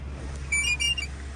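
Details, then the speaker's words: 2004 Audi A8L D3 sunroof wind deflector motor behind the headliner. A half-second burst of high, chattering gear whirr as the deflector opens or closes. The motor's gear teeth have meshed wrong, a recurring issue on D3s. "So when you go to open or close it, that noise right there. And what is happening here is there's a motor up behind here that actually controls the,"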